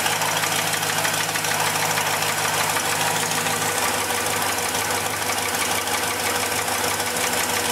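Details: 326 V8 in a big wagon at cold idle, exhaust leak partly fixed: uneven, rapid knocking clatter, apparently in the front three-quarters of the engine, quieter when warm; owner suspects rod knock or pinging, unconfirmed.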